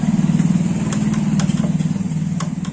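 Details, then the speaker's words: Honda Vario Techno scooter idling, owner complains of front-wheel noise: faint dry scrape every second or so over the engine; mechanic locates the rubbing at the front brake pads. "bisa teman-teman dengar itu seperti ada yang bergesekan ataupun Ada yang berbunyi seperti ini deh bisa teman-teman dengar dan sesuai pendengaran saya bunyinya yaitu ada berada pada bagian kampas rem depan"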